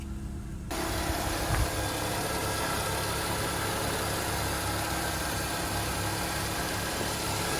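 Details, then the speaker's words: BMW E36 Compact 316i, earlier rough idle and misfire from an air leak; after fitting a new MAF sensor the engine catches after a second and settles into a smooth, stable idle with no hunting or missed beats. "that's the new map so much more stable yes guys let's go"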